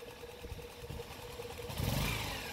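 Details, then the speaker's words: Motorcycle (Rider/JFI mentioned) with a clutch bell that a mechanic cut and hammered, engine running and revved: a thin steady whine rides over the idle and climbs in pitch with revs; clutch-side whine. "Naririnig nyo. Umuhuni. No? Merong umuhuni rin sa makina."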